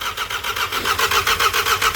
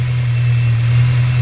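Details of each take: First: VW Scirocco with a freshly rebuilt MK6 Golf-type petrol engine, after a 3–4+ year standstill with the old fuel still in the tank: long, steady cranking at about four compression beats a second for seven seconds, never firing. The ignition switch is intermittent and the old fuel is suspect. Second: VW Scirocco with a freshly rebuilt MK6 Golf-type petrol engine, started on 4–5-year-old fuel: a steady, even low hum at cold idle with no knocks or misses. It is running as it should.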